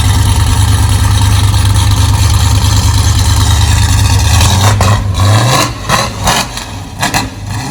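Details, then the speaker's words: 1999 GMC truck: steady deep even idle, then revs up cleanly and settles back down with no knocks or misses; healthy. "that's about what it's going to sound like so this is going to make somebody a really nice truck"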